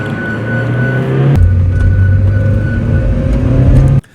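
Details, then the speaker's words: A Mazda Miata driving with a thin, steady metallic screech over the engine and road noise, heard mainly when turning and sometimes under braking. Front ball joint trouble was found. "There's been this horrifying screech that I get mainly when turning and sometimes under braking. That sounds like this."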